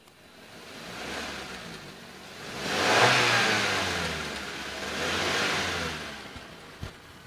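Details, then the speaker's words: 2021 Suzuki New Carry pickup engine revved: rises and falls cleanly through two blips with no knocks, rattles or misses; smooth, healthy revving, no sign of engine damage. "Nah kita geber sekalipun suaranya masih tetap Enak suaranya masih tetap halus gitu jadi nggak ada ciri-ciri mesin Ya udah rusak atau apa namanya harus diperbaiki atau harus turun mesin ya"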